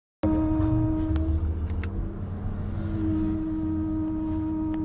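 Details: Honda Civic 8th gen 1.8, left front wheel: steady hum over road rumble, dipping mid-clip then returning; appears only after longer drives and stops when brakes are applied; front wheel-end noise, cause not pinned down.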